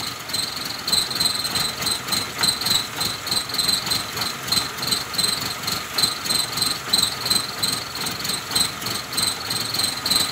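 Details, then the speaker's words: 2008 Suzuki Grand Nomade, J20A engine: unstable hissy, pulsing idle, at times revving by itself, small detonations; customer also reports poor braking. "el motor del vehículo como está en este momento esta inestable"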